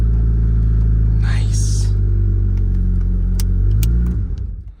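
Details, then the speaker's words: Barn-find Honda Civic with a turbo timer, sitting 8 years, started on a winter morning with a screwdriver after the neutral safety switch: a deep, steady, even engine rumble, then shutdown and spin-down, so it runs smoothly. "oh neutral safety switch neutral safety switch well I tried to start there it goes"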